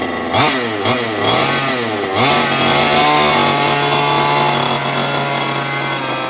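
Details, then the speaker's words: New HPI Baja 5T small two-stroke, first slow drive after about 30 seconds idle warm-up, break-in: blips up and down a few times then holds a steady, slightly high idle, left for first tank or two; crisp response, normal running. "And as it looks right now, everything is functioning properly. Our idle seems to be a little bit high, and we're going to let it stay that way until we're done with our first tank or two, and then start to tune it in a little bit."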